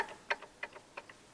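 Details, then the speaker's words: Land Rover TD5 engine (Defender/Discovery 2) viscous fan pulley spun by hand with belt off: dry regular clicks about three a second with a faint second tick, from a failed bearing behind the pulley. "that's the bearing behind it that's gone"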